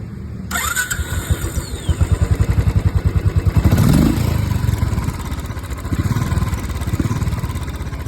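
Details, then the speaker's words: Royal Enfield Classic 500cc single after replacing tappets that had play and made tick-tick noise: fires up and thumps evenly, brief blip around four seconds, no valve tick remaining; idling normally. "इसमें टेपिट की दिक्कत थी जो टेपिट अपन ने change कर दी है वो टिक टिक की साउंड इसमें बिल्कुल खत्म हो गई है। जीरो साउंड है एकदम।"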